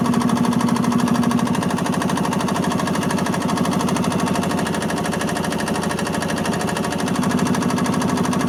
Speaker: Okay, successful repair.